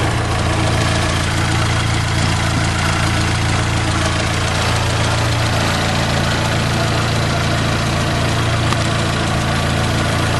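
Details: 2010 Fiat Palio 1.4 8V Fire, brought in for a tapping engine noise, after coolant service: warm four-cylinder idles smooth and even with a steady low drone and no tapping or knocking.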